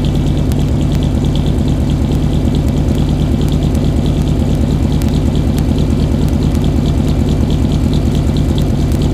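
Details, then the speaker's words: 1995 Chevrolet Suburban cold start at about 20°F: loud, uneven lopey idle around two beats a second with ticking on top, sounding like it has a cam; runs rough until warm. "we cold start the suburban kind of runs funny when it's cold kind of sounds like it's got a cam in it or something so I'm gonna let you hear that let's crank her up"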